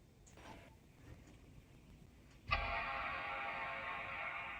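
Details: 2006 Mac Pro, power-on after a rebuild: silence, then a clean sustained startup chime of about two seconds; the machine powers on and boots normally.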